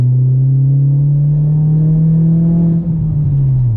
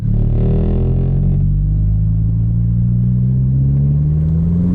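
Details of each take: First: MK4 VW Golf GTI turbo under full-throttle acceleration after replacing a sticking N75 boost valve: deep steady engine drone climbing smoothly, boost now holding 7–8 psi instead of 5, pulling with no hesitation; normal acceleration, though an inlet leak remains on the new valve. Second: MK4 Golf GTI under full throttle: engine note climbs, stalls flat, then picks up again by itself; boost flat spot and hesitation from a sticking N75 boost control valve that would not hold boost at high revs, fixed by replacing it.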